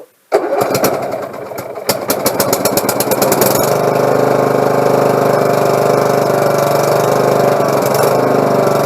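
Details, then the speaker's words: Husqvarna lawn mower after carburetor clean and repair (fuel had been leaking through the carb into the exhaust): brief cranking, then catches and settles into a steady, even run with no misses or surging; fixed. "everything's fixed everything's running you're ain't gonna have no more problems out of it"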